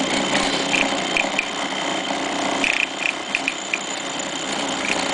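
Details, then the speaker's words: Robotic quilting machine carriage, after Stitch Regulator Not Found error: rough uneven grumbling rattle with scattered high clicks once engaged on the track, though wheels aren't slipping; cause undetermined. "And then I engage the track. Now I'm getting that grumbling vibration sound again."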